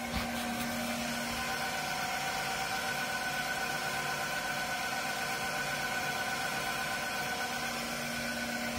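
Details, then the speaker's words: Haas TM1 spindle after belt replacement, warm-up program at 1,000 rpm: steady high whine over a light motor hum and no housing vibration felt. The spindle cooling fan is not running; belt tension is still in question. "The higher RPM will be the big question though about the belt tension and whether that's correct. Anyway, I'll bring you back then. 1,000 RPM. It sounds a bit whiny."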